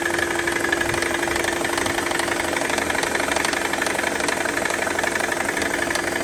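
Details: Mercedes C320 idling: steady rattling knock about four times a second, diagnosed as a failing AC compressor.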